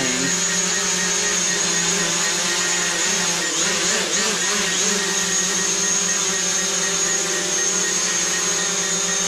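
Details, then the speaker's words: New DJI Mavic Pro drone taking off indoors via app take-off button, relying on vision positioning without GPS; high even propeller whir swells at liftoff then steady hover hum, motors healthy; normal takeoff and hover. "so to take off i'll have to simply do is tap on the take-off button and then we slide to take off navik is up and flying"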